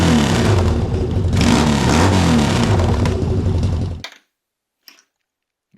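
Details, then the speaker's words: 1979 Yamaha XS650: engine roars with strong, crisp revs for four seconds then cuts off; it revs way quicker now, quick throttle response. "It revs way quicker now though."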